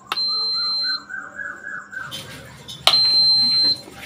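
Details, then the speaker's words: Induction stove whose cooling fan wouldn't run, after replacing faulty 8050 switching transistor that withheld 18 V from fan: two long steady high-pitched beeps about three seconds apart, only because the stove is left open; otherwise no problem. "நம்ம இப்ப ஓபன்ல வச்சிருக்கனால இந்த beep sound வந்துட்டு இருக்கு"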